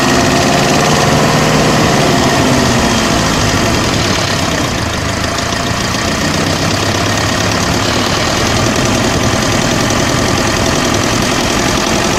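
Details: OM601 2.3 diesel at idle with loud clatter and a hard, fairly regular knock about four times a second; an engine knock, source unknown.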